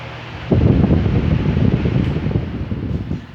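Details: Fan after its defective oscillation gearbox was replaced with a complete set: starts into a steady low whoosh with soft even pulsing from the oscillation drive, no grinding or knocking; sounds healthy.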